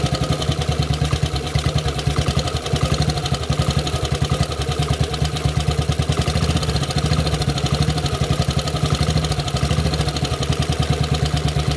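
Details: Model 8 motorcycle engine, steady rapid clatter over a deep even beat at idle; knock, more noticeable riding at 40 mph and above, source unknown.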